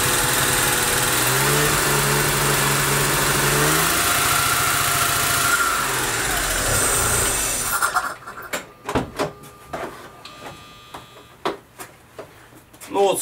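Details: Daewoo Matiz engine, towed in, started by a miracle: cranks, catches, then runs lumpy and uneven, stumbling down to irregular puffs, won't hold idle; misfire with heavy smoke, cause undiagnosed.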